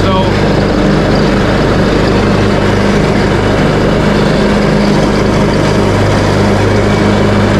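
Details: Craftsman T130 riding mower after fuse and ignition switch panel repairs, mowing end-of-season grass with deck set high: even engine note holding speed, no sputter, rattle or bogging, running healthy.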